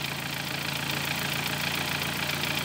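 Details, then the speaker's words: 2013 Dodge Forza at idle, coil primary waveforms showing poor burn on one or two cylinders, suspected coils 3 and 2: rough, uneven idle with slight stumbles. Cylinder misfire. "se está mal como tal no hay un quemado bueno en estos dos cilindros o en uno de los cilindros"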